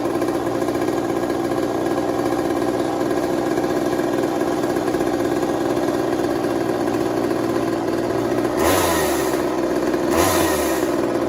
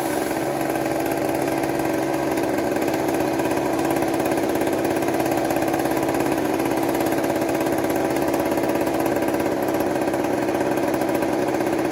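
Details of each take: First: 1980s Mastercraft (Poulan-made) chainsaw, bought cheap and revived: steady, even buzzing with no misses or surging and two quick throttle blips; normal running. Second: 1980s Mastercraft (Poulan-made) two-stroke chainsaw, revived after plug regap: steady high buzzing run at fairly constant speed, but spitting gas back out of the carburetor; owner considers turning an adjustment down a bit, cause unclear.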